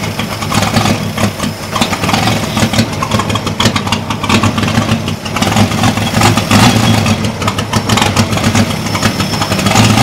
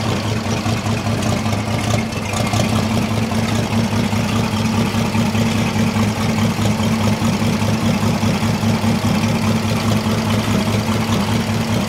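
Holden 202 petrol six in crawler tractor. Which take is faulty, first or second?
first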